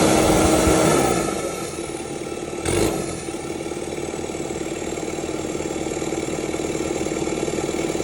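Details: Kubota SVL 75-2 diesel, tuned, DPF/EGR delete, first start after fitting bigger SVL 97-2 turbo, exhaust not finished: cranks, catches, even idle with steady clatter, no misses or knocks, no oil leaks; healthy.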